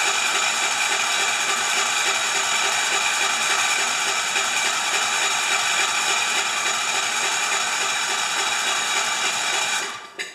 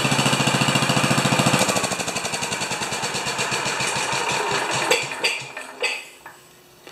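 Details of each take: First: 10 HP Kohler K241 with newly fitted modern plastic fuel pump, tank horizontal so no gravity feed, ignition off, cranked to test pumping into a dish: fast, even starter whirring for about ten seconds, then stopping; normal cranking. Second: 10 HP Kohler K241 single-cylinder engine after fitting a modern plastic mechanical fuel pump, running out of fuel at shutdown: fast, even thumping slows and breaks into a few ragged gasps as it sucks air, then stops; fuel starvation.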